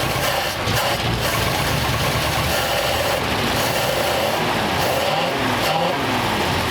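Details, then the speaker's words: 1939 Ford coupe V8, first run after extra wiring removed: runs steadily but not smoothly, with an uneven beat under the exhaust note; rough running, cause not known. "Not running great, but it's running."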